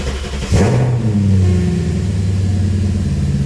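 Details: BMW E34 start after plastic-welding repair of fan shroud that occasionally made a racket on startup: engine catches quickly, settles into smooth, even low rumble with no knocking or fan scraping; runs healthy.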